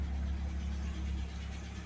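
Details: 1979 Fiat idling after a new fuel pump, relay and fuel pressure regulator, judged a major improvement with a nice startup. Steady, even low idle with no misses, knocks or hunting; it settles smoothly: normal idle.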